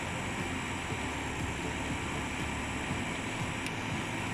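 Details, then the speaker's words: Eberspächer Hydronic 30 kW heater, fuel confirmed present; steady fan rush with faint fuel pump ticking and solenoid valve heard, but no spark generator buzz, so no ignition. "okay so it's yeah the fan we can hear the solenoid valve but we do not hear the sparks okay so there is definitely some problem"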